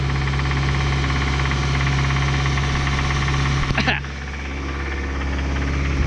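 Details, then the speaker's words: 1997 Toyota Tacoma 2.4L 2RZ-FE after oil pump failure rebuild, first run with throttle blips: steady low idle with a dull rapid knock beneath and a brief disturbance; no knock in drive under load; number 1 bearing suspected, unconfirmed. "Give her a little bit of throttle action there. Okay, let me listen at the engine when you do that. got a little bit of a knock there."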